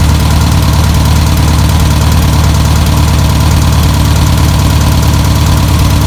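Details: 1962 VW Type 2 van/bus flat-four, sat over 40 years, running off its own tank: loud, steady chuffing idle that keeps running evenly; normal idle.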